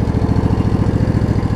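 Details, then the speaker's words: Craftsman DLT riding mower with Briggs V-twin after carburetor cleaning and kill/stator wire repair: steady, even low putter at idle with no misses, after occasional misfires. "but it's running smooth now it was 30 million and the idol down it idles beautifully"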